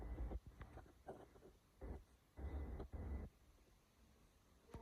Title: Hyundai Sonata Misfire(Head Gasket) problem